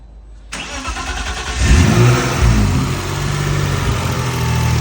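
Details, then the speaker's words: BMW E46 ZHP turbo with freshly built forged M52 on base map, first start after over a year: cranks, catches at once, brief rev blip, settles into even steady idle; runs cleanly. "So, needless to say, I was super nervous for the first start, but everything went really smoothly. Runs really good."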